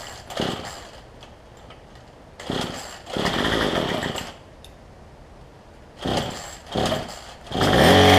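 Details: Cheap two-stroke weedeater number 3 on first crank after a new $6 replacement carb with the correct gasket orientation and fuel lines fitted: cranks, catches, revs in short high bursts between pauses, then settles into a steady buzz; running fine.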